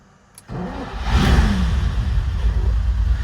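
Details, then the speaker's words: Ferrari restarted after new plugs and penetrating oil, touchy ignition: catches quickly after short crank, revs briefly, then settles into a smooth, even idle; starts and idles well. "what she starts like a darn now Idol's really good"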